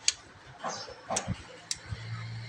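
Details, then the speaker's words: FinE&FinE Q800 amplifier at switch-on with speakers and signal connected: sharp relay clicks, but only two of its three relays pull in. One side stays silent. "ต่อสายลำโพงเข้าต่อสัญญาณเข้านะครับมีเสียงรีเลย์ดูดนะครับดูด2ครั้งฝั่งนะฮะ"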